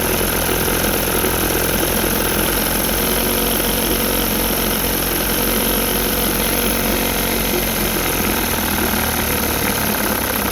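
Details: Rebuilt 1960 Evinrude Fisherman 5.5 hp two-stroke outboard in a test tank after first cold start: even buzzy idle holding steady, no misses or surging; idling cleanly, pumping lots of water, a bit lean.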